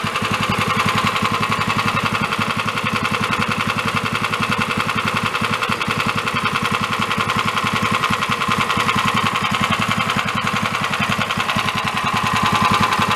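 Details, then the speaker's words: Free 13 hp Honda-clone single-cylinder engine on a go-kart/dune buggy build, warmed up and revved after a valve adjustment: a sharp regular knock in every firing beat, growing louder the more it runs. Engine knock, likely failing. "as it was running the more it ran the more started knocking so the engine is I do believe going kaput so that's got an issue"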